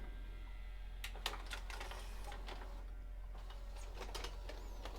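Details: Mitsubishi HS-U560 VHS VCR after replacing two gooey belts: soft whirring with a quick series of light mechanical clicks as the tape ejects, no slipping or grinding; normal eject.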